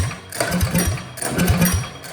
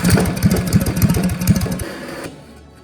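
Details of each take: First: Old Russell 196cc four-stroke on a Baja mini bike that sat for many years, after a carb clean, giving chugging pull-start bursts that die away without catching; a broken idle screw is suspected. Cranks but won't start. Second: Old Russell 196cc four-stroke on a Baja mini bike, run after sitting for years, carb cleaned, jet and emulsion tube drilled out, throttle arm tightened for a broken idle screw: quick, even single-cylinder popping, backing off then picking up; running normally.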